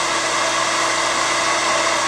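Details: Standard Conair bladed-rotor hair dryer on high: steady high whistling whine with constant airflow hiss and no wobble or rattle, with a spectrum peak around 4 kHz; normal running.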